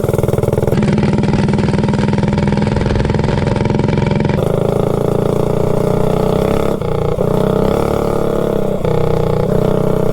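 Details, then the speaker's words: GTS minibike with a Predator 224 engine, on a road test of a new cheap generic 16-tooth 3/4-inch-shaft centrifugal clutch: revving hard, the pitch sags and pulses unevenly as the clutch grabs choppily, chattering far less smoothly than the previous Max Torque clutch. "you can hear it when you get on it how it grabs I mean it grabs but it's kind of choppy"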